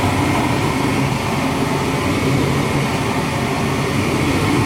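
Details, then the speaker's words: Gas furnace on a remodel job with a no-cool/no-heat complaint, switched to heat with the door switch held in. The inducer runs, then the igniter lights the pilot, giving a steady airflow rush and low hum with no knocks or surging: normal burner operation. "wait for the gas valve to light the pilot light there's the igniter pilot light's lit"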